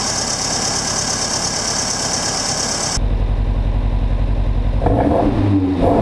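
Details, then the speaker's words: Mk1 Fiesta XR2 freshly converted to Jenvey throttle body and Omex 600 EFI, just fuelled and started: uneven stumbling idle pulse about four beats a second that never settles. Still running rough; new spark plugs to be tried, cause unconfirmed. "so it's still not running quite right"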